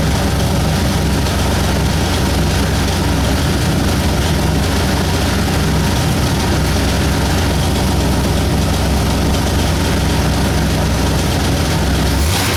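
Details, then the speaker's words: 1960 Ford F100 with 351 Windsor V8, first start after carburetor cleaning, valve cover bolts still missing: deep, steady, healthy idle with no misses or knocks; oil light went off as soon as it started. "so well started and ran oil light went off as soon as it started"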